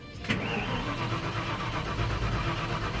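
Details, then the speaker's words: 1993 Ford F-150, warm, just started earlier: brief crank then uneven rumble, reluctant to start again; starts rough-idling, owner expects it to smooth out; has a vacuum leak. "oh now she's not going to start really I did just start this thing I swear now I'm going to drain this battery down hold on"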